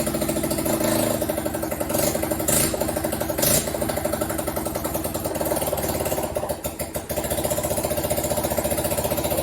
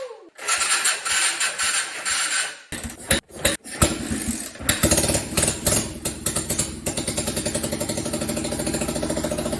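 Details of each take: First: Junk Honda 250 Fourtrax ATV: the single-cylinder idle thumps but stumbles and wanders; owner attributes the slightly rough running to the carburetor. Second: Honda 250 Fourtrax ATV from junk bikes, reassembled with spark plug, carburetor and fuel tank: a few seconds of cranking and sputtering, then it catches and settles into a steady, even single-cylinder idle with regular firing pulses.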